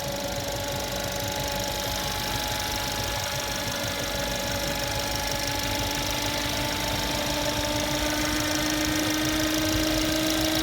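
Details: Mercedes-Benz C180 W205 idling: steady high electrical whine at the engine front from the alternator with failing rectifier diodes, not mechanical, with low charging voltage around 12 V.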